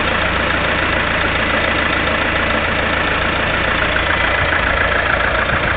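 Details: Lada Kalina 1.6 16-valve, 2100 km: steady idle with loose, fairly regular tapping about twice a second over the engine hum; engine knock of unknown cause.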